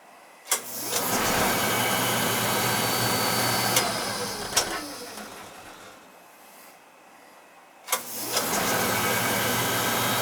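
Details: Oil-fired lowboy rear-flue furnace during annual service, TT jumped out: burner lights with a soft thump, settles into a steady, even roar over a low hum, then cuts out and relights cleanly. Draft over the fire is good; normal firing.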